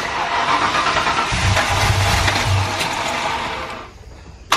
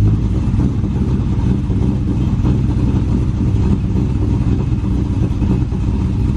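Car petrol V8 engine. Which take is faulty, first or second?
first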